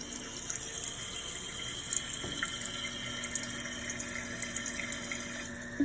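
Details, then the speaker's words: Toilet after replacing a noisy fill valve that whined after flushing: soft, steady rush of water refilling the tank with no whine or squeal, repaired. "I can turn the noise down too. It's still refilling, it just ain't making that much noise."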